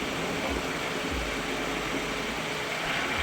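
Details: 2000 Dodge Intrepid 2.7 V6 power steering just after a flush and refill from empty, engine idling: faint steady whine with a higher hiss on top; pump noise from air in the fluid.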